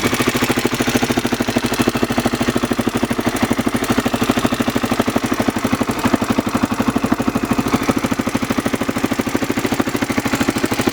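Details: Honda XR600R at idle: thumping single with steady light tick riding every beat, about three a second; source not yet identified.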